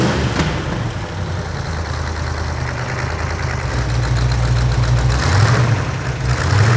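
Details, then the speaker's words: Rebuilt 1972 De Tomaso Pantera Ford 351 Cleveland V8, warmed up: rough idle with quick sharp ticking following engine speed, from the cheap header gaskets from the engine kit; exhaust header leak. "all right well we got the engine running got it warmed up real good and if you could hear it you could hear the headers leaking"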